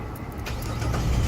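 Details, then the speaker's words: 2005–2009 Jeep Liberty 3.7L with no crank: the engine cranks, catches and settles into a steady rumble only when power is fed by hand during cranking. No start power was coming from the ignition switch. "which mean that we don't have no power coming out from the ignition switch"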